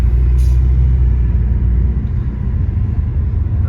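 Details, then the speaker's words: 2008 BMW 335i E90, N54 turbo engine, full bolt-ons: driving with steady low rumble and road noise, no knocks or rattles, an unexplained whining noted; coolant code gone, running like a champ. "running like a champ"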